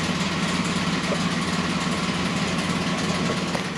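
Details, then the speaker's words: Ford Explorer off-road build at idle: rough running with an uneven tick-knock, about three per second, over the exhaust. Compression about 120 on three left cylinders, 180 on the right; low compression. "now you guys got through the Explorer here exactly what it sounds like it sounds terrible it's making a bad ticking sound knocking basically um it does have low compression on three of the cylinders"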